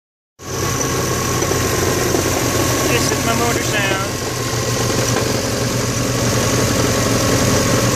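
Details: Saab-badged Subaru WRX at idle: rough, gravelly grinding from the transmission area, which started after drifting in deep snow; loose flywheel bolts snapped the set screws, whose pieces lodged against and dented the crank.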